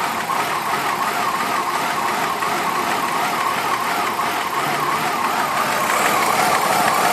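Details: 2002 Ford Escape, 143k miles, hot idle: smooth until low idle, then lumpy with an irregular stumble; code P0301 cylinder 1 misfire, earlier running-rich code; owner suspects a kinked, clamped vacuum hose to the PCV; check engine light on.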